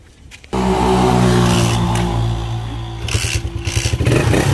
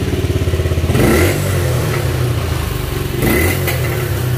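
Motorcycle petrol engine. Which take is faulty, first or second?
first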